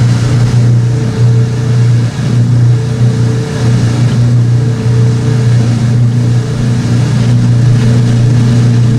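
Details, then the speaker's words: Old washing machine draining towels during spin: deep, thunderous droning hum, steady with a loose, uneven throb; the old drain pump is unusually loud. "That is just thunderous"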